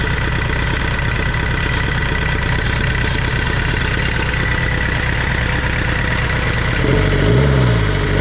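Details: Tata Sierra/Estate indirect-injection turbo diesel at idle after a glow-plug cold start following body restoration: a steady clatter firing evenly at about three beats a second, with a couple of rev blips near the end; running cleanly.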